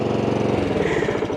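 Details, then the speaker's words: Honda lawn mower that suddenly would not start, now restarted on choke after a spark plug replacement from a tune-up kit: the small single-cylinder engine catches and settles into an even, steady chug with no misses; it runs normally. "and choke on yes success we totally"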